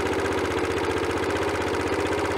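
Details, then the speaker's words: Honda CT110 small single after head gasket replacement, started briefly before cooling (clearances are set cold): quick light tap-tap-tap on every beat, excessive valve clearances, not cam chain rattle. "can you hear that characteristic tap tap tapping sound"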